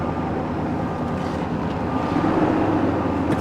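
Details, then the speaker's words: Auction truck, 322,000 miles, hard to fire up: rough stumbling idle with uneven chuff, no ticking or knocking; misfiring badly, gauge shows no oil pressure, suspected faulty sending unit. "yeah we're not even going to try to put this one in gear and it is misfiring pretty badly"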